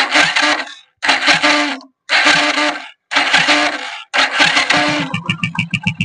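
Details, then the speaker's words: Hero Passion Pro/Splendor motorcycle self-start: five one-second cranking bursts with harsh whirring grind, then engine catches and ticks over; noise from dirty starter motor, not engine fault. "এই যে আওয়াজটা না, এটা কিন্তু কোনো ইঞ্জিনের সমস্যা বা অন্য কোনো সমস্যা না। এই আওয়াজটা হচ্ছে সেলফ থেকে আওয়াজটা আসছে।"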